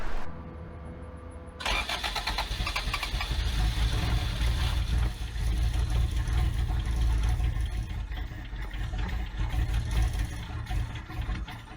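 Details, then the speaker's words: Abandoned Toyota AE86 with the timing retarded a few degrees, after capping the PCV tube for suspected excess air: the starter churns evenly for about ten seconds but it never fires. Still a no-start. "no not yet"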